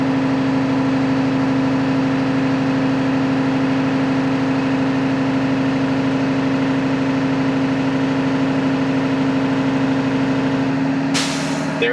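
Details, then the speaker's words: School bus idling after start, air compressor rebuilding pressure (low-air alarm off at 90–100 psi): steady idle and compressor drone, then a sharp short blast of air as the tank fills at about 120 psi and the governor cuts out. "At about 120 pounds, the tank will be full, and then you'll hear it escape."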